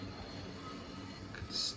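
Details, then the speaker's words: EFE Bulleid Booster model locomotive, new and not yet run in, axles lightly oiled: rumbles along with a thin, high metallic squeak like brakes squealing, worse in one direction; squeaking running gear. "still hear that squeak in there, can't you? Sounds like brakes squealing."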